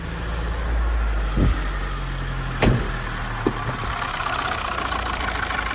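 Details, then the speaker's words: Mazda 6 2.2 SkyActiv diesel idling with an uneven, lumpy beat, stumbling as if on three cylinders, engine shuddering; check engine light, no fault codes. "Starts, but you can hear a very distinctive misfire. So running on what I'd call 3 cylinders at this point in time."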